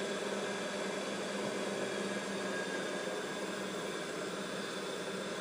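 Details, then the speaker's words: Mikini 1610L with replacement inverter-duty AC motor on Hitachi VFD, back to about base frequency after a 120 Hz run: steady airy fan whoosh over a faint even hum, no knocking, rubbing or grinding; normal running. "okay that's full speed there 120 HZ should be about I forget I think it's like 5200 RPM or 5500 something like that if my math is right so all that noise is just the fan on the top of the top of the AC"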